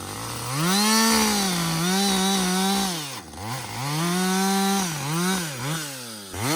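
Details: Husqvarna 562XP 60cc chainsaw, back from the shop after dealer reflashed its software for dying when hot and stumbling, bucking windfall about two-thirds of a tank in: clean two-stroke note dips in the cut, picks back up without stumbling; normal under load.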